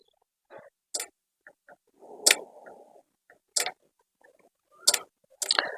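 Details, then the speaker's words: Microtek EB 900 inverter works in inverter mode but won't take changeover on mains: with mains connected, sharp relay clicks about every 1.3 seconds, near silence between; relay chattering, linked to dust fault. "मगर mains देने पर यह टिक टिक की आवाज करता है आपको दिखाते हैं य देखि हमने इसमें मेंस कनेक्ट कर दिया मीस कनेक्ट करने पर यह देखिए किट किट की आवाज करता है"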